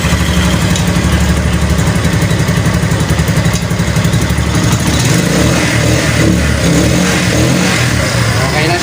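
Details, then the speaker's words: Cafe racer motorcycle after the fuel was turned back on at the tank: it catches and holds a steady run, blipping up and settling cleanly with no misses or popping. Normal revving. "Wow! Ayun mga ka-biker umandar na siya."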